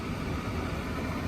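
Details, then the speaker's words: Old Rheem gas furnace after hot surface igniter replacement, blower running on its off-delay to cool the heat exchanger: smooth, steady low whoosh, no rattles, hums or scraping; normal blower run. "We'll let this uh blower cool that heat exchanger for the delay on brake for the blower."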